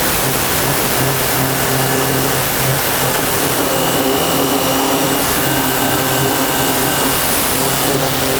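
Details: Nilfisk C110 pressure washer with circular nozzle, wider and less powerful spray: steady motor hum under a constant spray hiss, no surging or pulsing; running normally.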